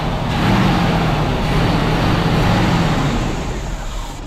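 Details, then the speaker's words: 1982 GMC S-15 pickup with Rochester 210 dual-jet carb: low, rough churning at about three beats a second with a harsh grating edge while cranking. The loose starter grinds on the flywheel. The owner plans to shim it. "Starter is the next problem. I don't see it. I gotta climb under there and shim that starter. It sounds terrible."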